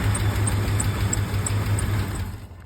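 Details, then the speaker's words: Blazer alternator test with the battery terminal pulled while running: steady low idle rumble sags and dies within seconds, confirming a bad alternator that is not charging. "the alternator's bad, guys. Oh my god, it was immediate."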